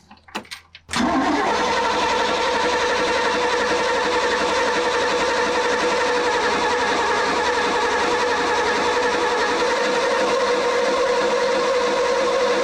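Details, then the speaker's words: Mercruiser 5.7 V8 just swapped into a 21-foot Maxum sterndrive boat, water supply running: after a quiet moment, steady cranking with a constant whine goes on and never catches. The starter won't stop cranking; a wiring or plug mismatch is suspected. "foreign yeah it wouldn't stop cranking that's odd hmm okay so maybe the wiring is messed up"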